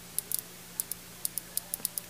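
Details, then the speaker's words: Fuel injector from a 2001 Monte Carlo SS 3.8L 3800 Series II, removed for O-ring replacement and pulsed with a 9-volt battery via momentary switch and test clips: crisp sharp ticks at uneven manual pace, injector opening cleanly. "it's just in a little momentary switch a little nine volt battery I could just activate the injector hear it"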